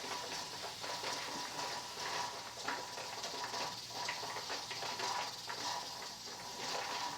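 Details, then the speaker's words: Presto pressure canner on a glass cooktop at 14–15 psi: soft steady hiss with the regulator weight gently rocking about once a second; normal, heat adjusted correctly, neither going crazy nor silent. "and let adjust it so that that little regulator is gently hissing and kind of"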